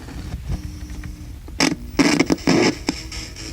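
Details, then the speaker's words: Vintage boom box, about 33 years old, after disassembly: still powers on and plays but audio keeps breaking into sharp, irregular crackling bursts a few times a second, same as before; cause not found. "It is doing about the same thing as it was doing before, which is it's crackly. Hear that crackly?"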